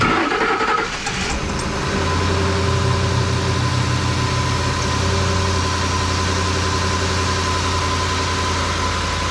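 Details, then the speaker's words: 2010 Ford F-150 5.4 Triton V8 after intake removal and intake O-ring replacement for a coolant leak, first test start: quick crank catches within a second, then a steady, even low idle with no misses or knocking; no leaks so far. "we're going to keep our eye on leeks sounds like it's idling fine so i don't think we have any mint leaks"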